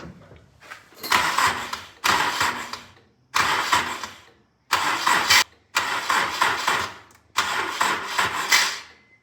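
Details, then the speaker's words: Honda S2000 with turbo kit being installed, first startup after oil pan reinstalled: six short cranking bursts that grow shorter and sag, engine never catches; slow crank no start as the battery weakens and dies. "The battery is getting weak."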